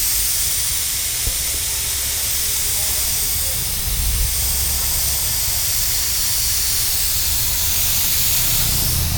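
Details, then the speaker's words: Mitsubishi Pajero on a trip, engine running: steady loud hiss not following revs; coolant blowing out from one side of the loosened radiator top tank. "പുള്ളി എന്തോ പറഞ്ഞ റേഡിയേറ്ററിന്റെ top complaint ആണല്ലേ? അത് കണ്ടില്ലേ അവിടെ തന്നെ നമുക്ക് ടോപ്പ് ഈ ഒരു സൈഡിൽ നിന്നാണ് വരുന്നത്. ടോപ്പ് ഇളകിയിട്ട് ആ ടോപ്പിന് വരുന്നത്."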